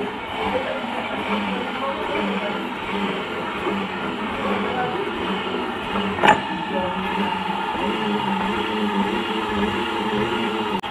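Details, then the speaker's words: Honda Vario 125 scooter CVT after replacing the noisy part: smooth, even whirring as the rear wheel turns, no grinding or rumble, same with the pulley fitted or removed, meaning the noise is fixed. "Jadi nggak ada perubahan antara dipasang puli, saat dipasang puli suaranya seperti ini, ketika dicabut pun nggak ada perubahan. Paham ya teman-teman ya? Berarti itu tandanya sudah sembuh."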